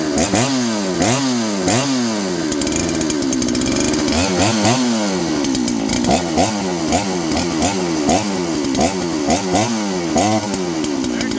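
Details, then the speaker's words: John Deere CS81 chainsaw: revs rise and fall cleanly with each throttle blip and settle without stumbling; running healthy and strong. "Wow. How long is it gonna run? Till the piston scores or the gas comes out? Wow, that's not bad."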